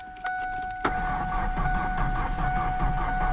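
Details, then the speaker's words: 1993 Ford Ranger that sat abandoned for years (last tagged 2012), jump-started from a weak jump pack: the starter turns it over evenly but it never fires; cranks with no start, owner suspects it is not getting fuel. "It doesn't seem like it's getting fuel. It's not even trying to fire."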